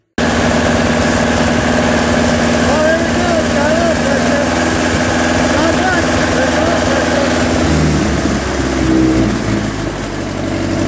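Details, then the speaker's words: Old tractor four-cylinder, after clearing the oil pressure gauge lines, settles into a steady, even low chug without knocks or missed beats, running normally with good oil pressure. "wow pretty good so that was pretty good"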